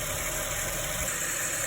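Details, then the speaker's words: Ford Falcon at idle just after DIY harmonic balancer replacement: thin steady high squeal near the front pulleys; owner suspects residue from cleaning spray sprayed underneath to remove oil, not confirmed. "Bit of a squeaky noise. I think that's because I've sprayed some spray on the down on the bottom to clean the oil up a little bit, so it might have just been residue."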